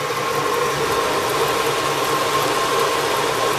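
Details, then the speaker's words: 1985 Oldsmobile Custom Cruiser 5.0 V8 idling smoothly with no belt squeal after the power-steering belt was removed, leaving only the alternator belt; the shared-pulley fan-belt squeak is fixed. "you could do it with the alternator only you see I don't hear no squeeze no more"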